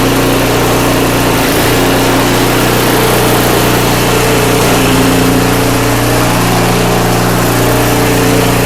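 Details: Craftsman 5/24 track snow thrower, small single-cylinder engine, after carburetor cleaned with carb spray and compressed air (seller's earlier carb clean failed): steady even hum at constant speed, no misses, surging or knocking; running smoothly, restored.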